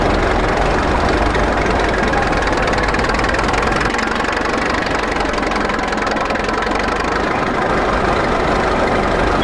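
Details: 1941 Caterpillar dozer that sat for years, started via pony motor: low, steady diesel chug at idle with an even beat and no misses or surging. Pushing the lever forward shuts it down, so it only idles. Normal idle.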